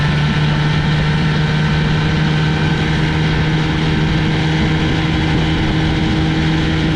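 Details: 1965 Johnson FD-19 18HP outboard on its first run after rebuild: head from a '69 Evinrude 25hp giving very high compression, serviced points, new plugs, carb kit, new impeller, converted to short shaft. Strong, steady two-stroke drone at an even low pitch, no misses or knocks; running cleanly.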